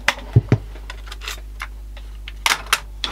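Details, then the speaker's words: 1994 Panasonic RX-DT680 boombox cassette deck fault: a few sharp clicks in pairs with no motor run or tape movement. The mechanism is actuating but not engaging, something catching or the solenoid, before the repair. "why it makes a funny little click click sound rather than actually doing much is because the solenoid"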